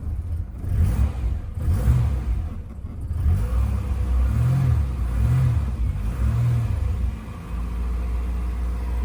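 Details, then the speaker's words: 1988 Mercedes 190E (W201), started after standing parked for a long time, fuel pump heard priming first: muffled low rumble settling into an even idle after a brief rev, no stumbling or tapping, started quickly; normal idle. "actually sounds quite smooth and it started quite quickly"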